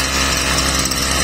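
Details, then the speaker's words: Stihl brushcutter after repair, oil-soaked air filter found blocking air and choke opened: high steady two-stroke buzz without misses or surging; running clean, carburetor screws still need slight adjustment. "Plyn ide, takže ideme na to. Takže ako je počuť, kosačka nám ide perfektne,"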